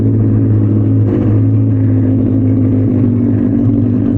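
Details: Benelli 600i motorcycle at idle after a cold start in neutral, air leak fixed the day before: deep, steady exhaust rumble with an even beat, no misses or ticks; running healthy.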